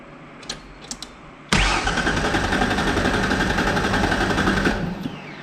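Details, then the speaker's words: 1994 Mazda B3000 with swapped-in 4.0 OHV engine from a B4000: cranks, fires into a ragged run about three seconds, then stalls; owner thinks it ran only on brake clean and suspects lack of fuel pressure, pump to be replaced. "Yeah. Now, I think we just got a lack of fuel pressure issue. I'm going to have to take the pump out of that other truck, too. I think that was just running off the brake clean that was in there."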